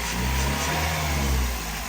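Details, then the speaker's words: Toyota Echo 1.5 with 391,000 miles, after replacing a failed ignition coil that caused a bad misfire and high fuel use; even, steady low idle rumble with no stumbles or skipped beats, running much smoother after repair. "Not real concerned about it. Runs a lot smoother now."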